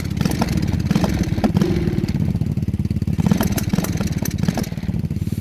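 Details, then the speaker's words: Lifan clone minibike single-cylinder engine (KP Mini 300 or 250 build), hard to start that day: stumbling, uneven idle as firing pulses drop out, an occasional single-cylinder misfire, sometimes spitting flames. "yeah it does this sometimes if you've never heard a single cylinder misfire that's what it sounds like"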